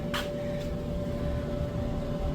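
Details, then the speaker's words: Used gas clothes dryer, gas not connected, being converted to wood-boiler heat: a smooth, constant low rumble with a faint steady tone and no rubbing, squeal or thumping; the dryer runs fine. "closed dryer it is running right now I'm sure you can hear I'm sure you can hear that on the the video here but I don't want to have it hooked up to gas and uh it runs so that's good"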